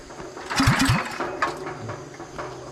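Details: Small gasoline pressure washer engine that won't start after heavy overnight rain, owner suspects it got cold/wet: a couple of recoil pulls, brief sputter, nothing catches after about 30 minutes of tries; crank no-start, to be taken to a shop.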